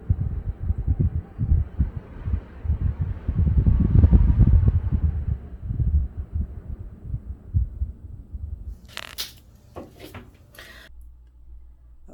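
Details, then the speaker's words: Basement bathroom register ducted straight to an outside vent with no fan, in a 70-year-old church being converted to a home. A low, gusting rumble swells and fades over a few seconds with no motor behind it. Outside wind is drafting through the vent. "actually goes to a vent directly outside there's no fan it's just a way for the wind to come in so i don't know if i'm going to hold this up and see if you can actually hear the wind coming through"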